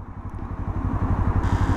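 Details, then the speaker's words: Motorcycle that failed mid-tour, cranking with the gear in neutral: low labouring groan of about ten pulses a second as the starter fails to spin the engine. Battery voltage too low is suspected, unconfirmed. "それが回らないであればおそらくバッテリーの電圧不足でスターターモーターが回れずググーみたいな音がしてるんだと思います"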